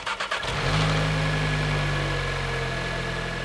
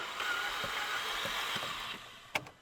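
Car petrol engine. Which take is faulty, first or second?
second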